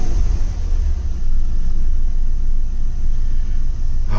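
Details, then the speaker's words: 2000 Jeep Grand Cherokee 4.7L V8 after new fuel injectors and spark plugs, revved with intake off and a known vacuum leak: deep rumble surging unevenly, trembling badly; previously no acceleration above 2000 RPM, white smoke seen. "but oh wow that sounds that feels so much better oh it's trembling like crazy oh crap it is not happy it is not happy"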